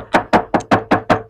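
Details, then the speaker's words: Hyundai Stargazer bare trunk panel tapped before Vtech sound deadening; six sharp hollow knocks ringing thin and tinny, undamped body panel resonance. "dan suaranyapreng banget dan nanti di bag bagian rongga pintu ini akan kita tutup semuanya akan kita tutup"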